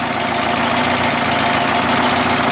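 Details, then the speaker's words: 1974 Kenworth prime mover with a Detroit 8V71 two-stroke diesel, 15-speed overdrive, N65 injectors: busy even idle with a rapid steady beat, no misfire or stumble; normal idle. "871 Detro G General Motors diesel you want to say it uh 15-speed Overdrive n65 injectors goes pretty"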